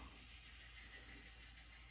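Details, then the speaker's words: Mid-1970s A&G Machinery Fanlite decorative ceiling fan with ECM 6.3 rpm gear motor, long stored and little used: low steady hum with thin whirring whine; motor works but is noisy. "this thing actually still works you can hear that noise it makes it's a bit noisy"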